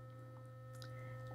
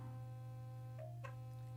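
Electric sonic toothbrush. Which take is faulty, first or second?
first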